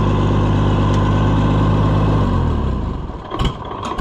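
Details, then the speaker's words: Oliver 1655 tractor, cold and needing choke, with a new starter and slightly changed timing: it runs steadily, then after switch-off keeps stumbling and coughing irregularly before dying; still dieseling run-on after shutoff. "still dieseling. I changed the timing a little bit, but it's gonna, this is starter's awesome though."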